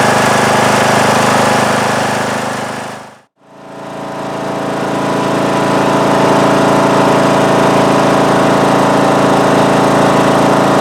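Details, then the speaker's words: Craftsman mower, about 2010, 19 HP Briggs & Stratton single-cylinder, after re-gluing loose flywheel magnets that caused a loud vibrating tapping. Steady, even beat at full throttle with no misses or surging; charging only about 12.8–12.9 V. Normal running at full throttle. "Well, I think that's going to do it for today's video. I think I've solved the problem."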